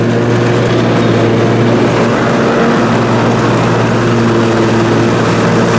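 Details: Briggs & Stratton Intek M44 twin on a mower, first run after total carburetor tear-down and clean: steady even drone at constant speed under mowing load, no hunting or surging; sounds way better, normal running under load.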